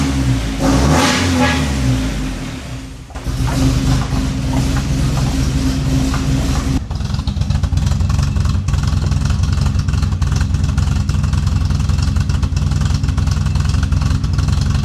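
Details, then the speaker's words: Nissan 240SX after PDM and switch panel install, started with the MAF ('math') unplugged because it only popped and banged with it plugged in: revs up, then a lumpy, chuffing, tractor-like idle; owner suspects the unplugged sensor, not confirmed. "So yeah, I'm not sure why it kind of sounds like a tractor right now. I'm sure it has something to do with the math being unplugged."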